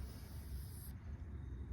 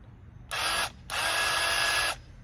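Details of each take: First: Bauer 20V airless paint sprayer (Harbor Freight) being primed: hiss of air over a low rumble as trigger is squeezed with the intake out, cutting off sharply once trapped intake air purges and paint fills the reservoir; air trapped in sprayer intake. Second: Bauer 20V airless paint sprayer (Harbor Freight) after purging intake air and priming: steady high buzzing motor-pump hum in even bursts, clean starts and stops, no stutter or surging; normal sprayer pump operation.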